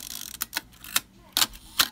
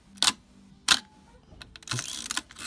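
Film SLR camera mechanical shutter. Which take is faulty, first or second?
first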